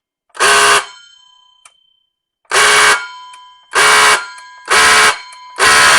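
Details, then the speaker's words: Nearly decade-old Ryobi cordless circular saw on the big battery: loud, harsh electrical buzz in bursts about a second long, never spinning up, likened to a Honda on the rev limiter. The motor is stalled, overheating and starting to smoke. "And if I hold this long enough, I can smell it. It starts smoking. Sounds like a Honda hitting the rev limiter."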